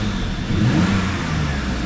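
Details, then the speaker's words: 2004 BMW 325xi after misfire repair: the petrol engine idles smoothly with a light, even blip of revs, no shaking or stumble, and no codes or check engine light. "it's running nice and smooth yeah we did it"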